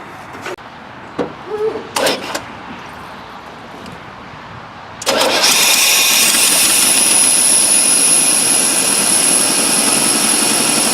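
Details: 1988 Chevy R30 after installing a cheap aftermarket fuel pump, on a borrowed battery with starter hot-wired: a few clicks and short cranking bursts, then the engine catches and settles into a steady, even run with a high hiss.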